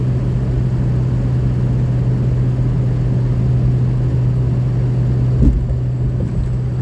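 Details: 2003 Ford F350 6.0 Powerstroke diesel after replacing left Y-pipe to turbo V-clamp: smooth even low drone with no puffing, ticking or hiss; exhaust leak fixed, no more overboosting or power loss.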